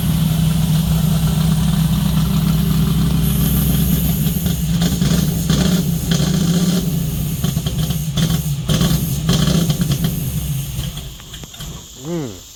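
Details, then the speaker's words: 1970 Dodge Charger, 640hp Mopar stroker V8, annual fire-up after sitting: lumpy, uneven, grumpy idle with a stumble before shutdown. Suspected stuck carburetor float, rear one; not confirmed. "Looks like we might have a float stuck, bud. >> Yep. I was kind of thinking that was the sound of that."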